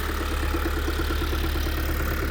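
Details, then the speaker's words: 2022 Kia Sorento 2.2 diesel at idle, heard from the pit: fast regular tapping over low rumble, coming from the gearbox side rather than engine, same sound as when the dual-mass flywheel was shaken; knock disappears once warmed up, no error codes. "Слышно прямо не с двигателя, а с коробки этот звук слышно. И это тот звук, который я шатал ээ демфер, когда она ещё в коробке была."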